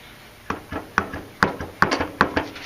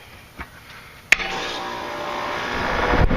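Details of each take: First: York LSU condenser fan motor, unit suspected low on refrigerant: sharp irregular clunks as shaft rocked, lots of play; bearings worn, motor bad and replaced. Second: York residential condenser after condenser fan motor replacement (old motor had excessive shaft slack): contactor clack, then fan and compressor settle into steady even hum, no rattle or scrape; running normally, sounds better than before.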